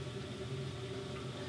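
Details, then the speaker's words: 1950s Heathkit W5M tube monoblock amplifier after new filter and coupling caps and re-soldering hanging filter leads: near silence, faint steady low hum under hiss only up close; possibly cold solder joints; amplifier now quiet. "We got a little bit of hum, like if you really, really listen close."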